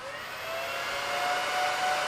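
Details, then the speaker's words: BLF188XR LDMOS amplifier's Meanwell RSP power supply at idle with the top off and case fans unhooked: steady high whirring rush with a faint rising whine. Its internal fans run at full speed and get loud once keyed and current is drawn. "right that's just idle it's just idle when I key the box and pull from them [Applause] you get the picture they get quite loud especially combined with the for AC fans on top"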